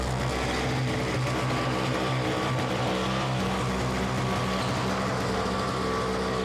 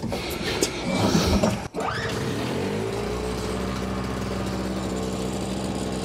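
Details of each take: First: Simplicity 520 single-stage snowblower (5 hp, 20 in), first start on the electric starter after its repair, choke on: steady, even drone with no rise-and-fall hunting under background music, and the auger engaged; running smoothly without surging. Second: Simplicity 520 single-stage snowblower (5 hp, 20 in), second start on choke after the recoil rope repair: engine catches and settles into a steady drone that slows down when the auger drive is loaded; owner suspects the carburetor.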